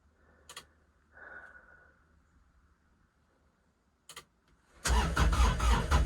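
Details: Kubota RTV900 diesel at -8°F: quiet clicks, then a short burst of steady cranking with no firing. Owner blames summer fuel left unpurged, gelled in the cold, and stops to save the battery. Cranks, no start.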